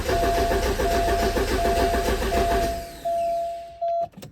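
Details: 1985 Porsche 944 that died while driving, crank no start, no tach bounce: steady starter cranking about 85 rpm with no firing, then a sustained electronic tone; testing DME speed sensor at terminals 8 and 27.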